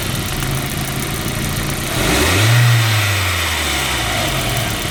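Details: 1.8T engine idling: fast light top-end ticking over steady idle, quickening with a short rev blip; source not confirmed.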